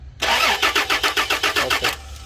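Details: Toyota Land Cruiser V6 cranks in an even rapid chug, about six turns a second, but never catches; crank no start, cause suspected, not confirmed.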